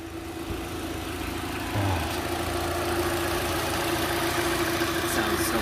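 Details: 2012 Hyundai Elantra after its first owner-done oil change with engine flush (15-minute idle), top-end cleaner and about 4.2 quarts of new oil: even, steady idle hum with a faint constant tone, no misses or stumbles; runs smoothly.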